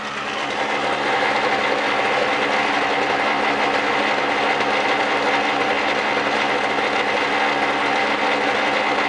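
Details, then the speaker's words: 1999 Snapper SX5200E single-stage snowblower, Tecumseh HSK850 2-cycle 5 hp 139cc engine, after cold start: steady, even high-revving two-stroke buzz, louder like a boat motor, smokes slightly as normal, no misses, knocks or surging; healthy. "see it smokes a little bit that's natural for a two-cycle machine it's a little bit louder that's two-cycle all the way sounds like a boat motor"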